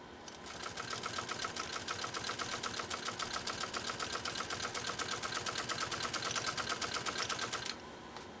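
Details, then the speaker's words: Pfaff 130-6 sewing machine, straight stitch through two layers of genuine cowhide at only a fraction of its capability: crisp, even stitching clatter of about seven stitches a second, with no knocks or binding. Normal running under load. "love the way that machine runs can you you can hear that i'm sure on camera it's just like dude basically i mean i translate that to being power that's power"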